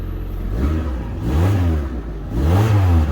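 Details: Rover 416SLi automatic after the exhaust was repaired by welding and the back box refitted: deep, smooth revs rising and falling with a solid low note, no puffing or ticking; exhaust sealed, normal running.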